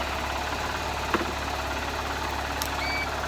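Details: Honda CBF125 motorcycle after stator replacement; the battery previously wasn't charging: small single idles evenly with a steady low thrum and no knocks or misses before charging voltage is checked.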